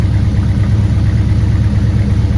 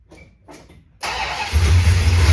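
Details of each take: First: 1969 Super Bee 440 Six Pack V8 warming up with very little fuel in the tank: deep, lumpy idle, steady throb about three pulses a second before shutdown; smoke judged rich running, not oil smoke (cause suspected, unconfirmed). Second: 1969 Dodge Super Bee 440 Six Pack, cold start at 43 degrees; earlier it only clicked, battery later found dead after charging. About a second of weak cranking, then it catches cleanly into a loud, even V8 rumble; it always ran rich.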